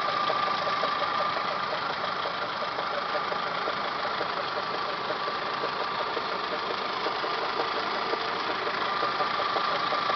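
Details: Toyota Camry 5S-FE engine at idle, timing belt job done Feb 2011: fast uneven chatter over a steady idle from the timing belt/water pump area, started a few days ago. Source not yet identified.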